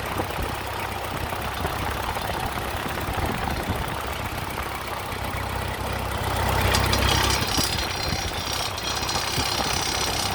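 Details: Ford 8N tractor engine idling with a strange knock-like tapping, roughly four beats a second, cause unknown.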